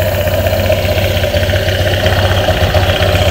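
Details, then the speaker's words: Honda Airblade 160 (26 km) with a new JVT racing pulley, idling after the side crankcase cover is refitted to check it stays quiet: a steady, even pulse and smooth low hum, no scraping, rubbing or knocking from the drive side; still quiet, healthy idle. "Nakakabit na natin, paandarin natin, tingnan na natin kung tahimik kasi baka umingay pag nakakabit yung panggilid, yung crankcase. Uy, effective, tahimik pa rin. Tahimik pa rin, oh."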